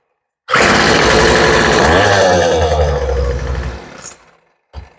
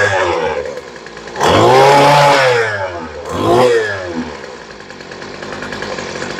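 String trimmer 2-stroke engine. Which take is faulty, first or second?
second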